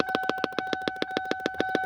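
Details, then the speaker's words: 2002 Lincoln LS V8, key in ignition: relentless sharp pops about seven per second over a buzzing tone from a leftover aftermarket alarm speaker under the dash; unplugging it stops the noise. "So what I've done is I found the noise. And I pulled all these panels off. I found this speaker. The speaker is actually where the sound is coming from."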